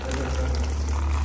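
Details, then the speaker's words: Boosted Ford Mustang GT350 that shut off on the road with the check engine light on and locked up: water gushes from the oil drain, and the oil is black; water in the engine, hydrolocked. "oh i can already hear the water dude oh there's some oil leaking right there"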